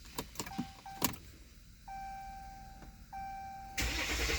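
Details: 2016 Dodge Ram 1500 diesel, crank no start after three shops; dealer blamed fuel but the sample looks clean, target rail pressure is about 300 bar while cranking, no trouble codes. Clicks and chimes, then steady cranking that never catches.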